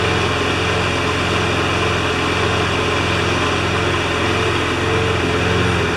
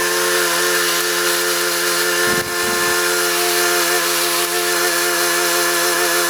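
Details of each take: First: John Deere JS25 mower's small single-cylinder engine running steady and even with a constant low pulse, no knocks or misses; judged good enough to hook back up to the gas tank. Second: Briggs & Stratton Quantum single-cylinder engine for a self-propelled John Deere JS25 mower, parked since last October, buzzing at steady speed with one brief dip.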